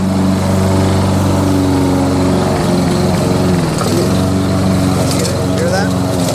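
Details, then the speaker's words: Curbside Toro SR4 Super Recycler 20381 push mower with Chinese clone engine, run without the air filter: engine runs unevenly, note sagging and recovering as it hesitates; owner suspects it sucked in grass and plans to strip the carburetor. "Well, you know what? I didn't feel good about the way it sounded anyway. I'm going to take that carburetor apart."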